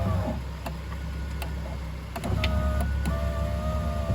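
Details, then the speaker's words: Land Rover window regulator motor after regulator replacement, vehicle running: steady whir with faint even tone, no grinding or clicking; motor and cables working fine. "So that's working just fine."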